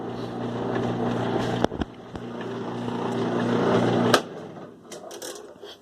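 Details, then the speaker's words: 2005 Kenmore 70 Series direct-drive washer, reassembled after water pump work, agitating normally on Heavy Duty cycle: steady motor hum, soft thumps as the drum turns, clean stop. "ahí verán cómo funciona lavadora Cómo gira bien el cono el cono aparte de arriba ya ya da la fuerza cuando lave la ropa"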